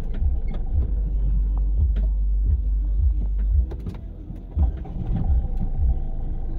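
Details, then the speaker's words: Ford EcoSport after starter carbon brushes and bendix replaced to fix a starting problem: starts cleanly into a low, even idle with no knocks or stumbles; normal idle. "Start करके देखते हैं और यह देखिए गाड़ी first class start हो रही है"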